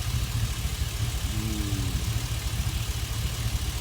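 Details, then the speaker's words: Chevy Express V8 at idle, scanner showing 40 misfires on cylinder 1; the misfire occurs only at idle and persisted after injector and coil swaps. Low idle with an uneven stumble about every second over a steady rumble, traced to a loose injector 1 connector. "But if you can see, right here a misfire, 40 misfire until now, the cylinder number 1. Let me push the gas a little bit. I have a misfire only when this idle."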